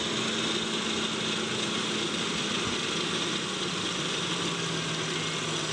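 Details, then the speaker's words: 1997 Toyota Kijang Grand 5K carburetted engine, which previously stalled and would not start even after carburettor replacement, starts straight away and settles into an even idle with a steady hum and no stumbling, misses or knocking. "Oke ternyata langsung hidup ya sahabat ya padahal kemarin sampai 2-3 kali juga bisa Ustad enggak hidup"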